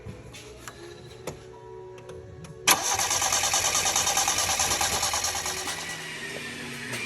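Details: 1987 Yugo GV, sitting 15 years, after a new fuel pump was fitted and its line run into a bottle: the starter churns at an even three beats a second with no firing; cranks without starting because it has no fuel yet.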